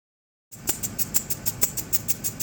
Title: Landrover Discovery 2003 making a clicking noise what could be the problem. How do I fix it